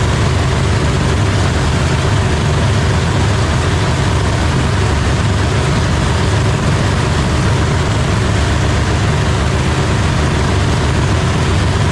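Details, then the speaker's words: Supercharged drag race engine idling after repair following major damage, injectors tested via ECU outputs: deep, loud, steady idle with even lope, no misses or pops; judged to sound healthy again. "Sounds good. Yeah, sounds healthy again. Huh? Sounds healthy again."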